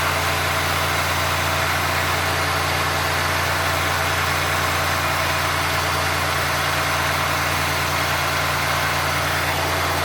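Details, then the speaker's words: 1990 Oldsmobile Trofeo with the 3.8L V6, cold idle while lines are being adjusted: smooth, steady idle with an even low hum and no misses, hunting or hiss. Judged normal cold idle. "it's not as bad ha definitely not as bad like actually you know what now think about it I think that's normal Idol when it's are cold"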